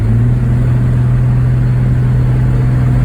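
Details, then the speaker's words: 1991 Chevy S10 with leaking automatic transmission, Lucas Stop Slip being tried: loud steady engine drone held at one high pitch while driving, no shift heard; won't upshift from third into fourth/overdrive. "still think it's in third right there it's not wanting to ship it dropping a third gear fourth it's not one to drop in the fourth gear at all"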